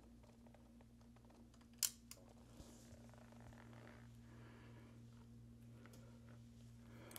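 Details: Roland DEP-5 digital effects processor after installing new I/O bypass relays and a new memory battery, heard at power-on. Quiet hum, then one crisp click and a couple of faint ticks as the relays pull in together cleanly: normal relay switching.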